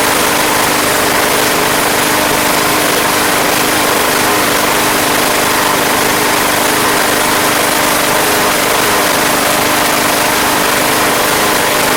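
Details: Craftsman Platinum lawn mower, Briggs 190cc engine, running after a no-start fix with a replacement carburetor: steady, even drone at constant speed, no misses, surging or knocks; gas was seen from the crankcase vent, yet it runs cleanly.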